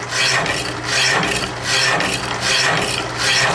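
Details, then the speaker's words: Metal saw (tried after a shop move) cutting metal with an even, unlabored back-and-forth rasp at roughly 78 strokes a minute as the blade bites; cuts fast, estimated 2–3 minutes to get through; normal cutting. "Yeah, it actually cuts pretty fast."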